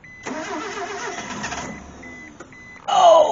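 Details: Mitsubishi Mirage that sat for years, previously no spark and no fuel pressure, now with spark restored: starter cranks with an uneven churn, briefly tries to catch but won't run; fuel delivery suspected, not confirmed.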